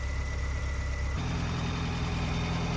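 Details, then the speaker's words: 1985 Astro van, 4-cylinder, 4-speed, sitting 15 years, fuel pump relay jumped to power the pump, first run since about 2011: even, steady idle with no misses or knocks, settling smoothly once the sticky pedal returns; runs smoothly. "But it runs really good. It runs really smoothly."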